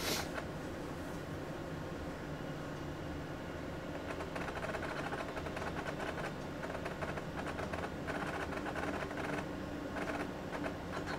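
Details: AT&T Unix PC 7300 booting with a real MiniScribe hard drive: quiet fan hum with bursts of rapid clattering head-seek ticks; normal for this old loud drive.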